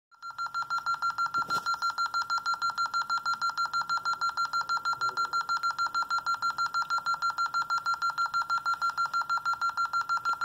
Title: Alarm 54 beeping